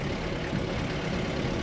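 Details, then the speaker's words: Mercedes W115 220D /8 diesel at cold idle, with a newly fitted generator and belt: a steady, even low rumble with no misses or knocks, running smoothly. "you see some things need some TLC in this car, but the engine is running so smoothly. It's It's cold now. And I think you can hear how nice it's idling."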